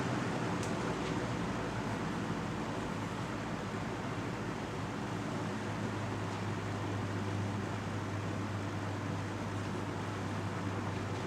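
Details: Box fan running on medium speed: steady low hum with an even rush of air and no knocks, rubbing or wobble; it has a quick spin-down and runs smooth and healthy.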